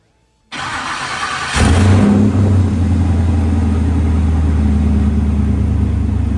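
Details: Snowcat with new Texas Speed 408 LS V8 swap, first start, 190-degree thermostat, no exhaust yet: starter whirs briefly, engine catches at once and settles to deep, steady, even idle, no knocks or misses; great oil pressure; normal start and idle.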